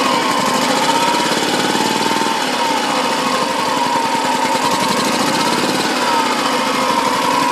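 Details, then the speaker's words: BMW Isetta 300 single-cylinder running for the first time after restoration work, on choke, low on fuel: steady buzzing beat at even speed, quiet exhaust, no knocks or misses; runs healthy. "i'm pretty happy with that sounds good there's no knocks the exhaust is quiet"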